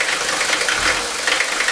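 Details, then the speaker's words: Mercedes 5-cylinder diesel at idle with worn injector nozzles: harsh, loud rattling clatter like ball bearings inside and rough running; heavy diesel knock from worn nozzles not spraying correctly. "I want you to hear the knocking now not only is this engine running rough as you can see it also sounds like there's ball bearings inside there"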